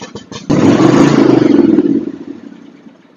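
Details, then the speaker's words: John Deere X324 all-wheel-steer riding mower with automatic choke: uneven, lumpy chugging that surges, sags and dies away, running rough. Water in the fuel is suspected; the carburetor is to be removed. "When it runs like an old twocylinder John Deere, like an old 60 or something like that."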